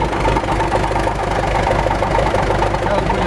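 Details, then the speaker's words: MTZ tractor running: steady droning hum from the gearbox with no knocks, heard before disassembly. The owner suspected the 212 bearings on the reduction gear; teardown found failed 212 bearings in the intermediate section, replaced with tapered roller bearings. "сильно гудит в коробке, если слышно. Сейчас разберем. Я думаю, что подшипники 212 на ходоуменьшитель."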